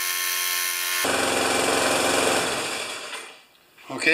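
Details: Older Murray mower, 158cc Briggs & Stratton Classic single-cylinder, after fitting a J19LM spark plug: sputters unevenly with ragged beat that fades and nearly dies; running really poorly, owner plans to change the coil, cause unconfirmed.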